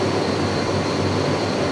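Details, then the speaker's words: Shop furnace just converted from natural gas to LP, main blower running after draft inducer and blue burner flames: smooth constant air rush with a faint steady high whistle, no rattle or scrape, warm air out; normal blower operation. "Oh yeah. Nice. Alright. Got some nice warm air coming out of there."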